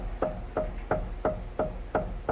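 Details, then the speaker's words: Honda City with 100,000 km, steering rack rocked by hand: sharp hollow knocks about three a second, each with a woody clack; worn steering rack with play. "caixa direção também tá fazendo barulho vou mostrar aí só encosta aqui ó"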